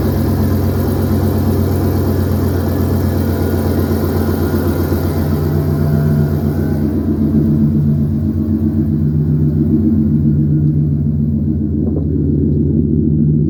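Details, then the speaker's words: 2012 GMC Yukon Denali V8 after shorty header install replacing cast-iron manifolds: steady, even low rumble with smooth regular beat, no ticks or exhaust-leak puffs; no sound change from stock. Normal idle. "But I really didn't notice any sound changes. To me, it sounds the same as it did with the cast iron."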